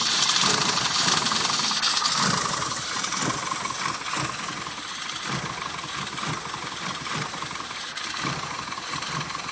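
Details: Rover Mini SPi idling: uneven, stumbling, irregular chuffs under a hiss; it sputtered badly and died when revved. The cause was a bad crankshaft position sensor, fixed by replacement.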